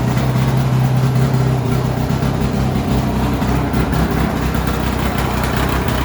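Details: Polaris XC600 snowmobile two-stroke, first run after new rings, idling fast before adjustment: harsh, raw, loud blatty exhaust note because the exhaust gasket is essentially gone; exhaust leak.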